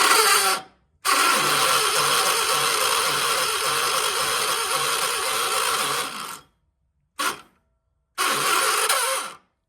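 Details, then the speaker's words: 1976 John Deere 300, starter drive binding, owner rocking the engine back and forth to free it: the starter whirs in bursts, stops abruptly and re-engages without the engine catching; hard start. "okay, yep, she's in a bind. So that opening right there, I just do this. Kind of rock the engine back and forth."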